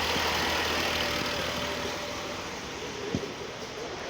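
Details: 2010 BMW X5 E70 N55 with no-crank complaint, after starter test: smooth steady idle under a fair bit of hiss, a stray click or two, no knocking; running and charging about 14.9 volts, normal idle.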